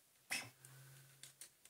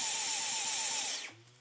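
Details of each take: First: Dyson V11 cordless vacuum, test with a good motor, fitted with the filter, bin and battery from the faulty unit: a few handling clicks, then it spins straight up to a steady high whine and even air rush, running normally. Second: Dyson V11 cordless vacuum on eco: the motor won't spin up, and the high whine wavers in quick regular surges about four a second, then winds down. Medium is also affected but boost runs fine; the faulty motor unit needs replacing.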